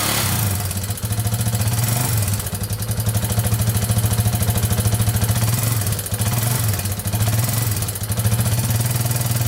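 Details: 2001 Yamaha Warrior 350 with bad engine knock, after a short ride: loud rapid metallic knocking about three per second at idle, persisting with throttle blips; owner suspects timing chain; loose exhaust valve found.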